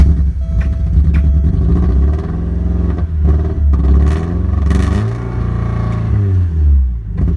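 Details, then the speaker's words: 1987 Porsche 924S with a spare air flow meter swapped in: low idle wavers and stumbles unevenly and never settles; still running rough. "all right so as you can see it's still running rough so I'm gonna try swapping in a spare DME now"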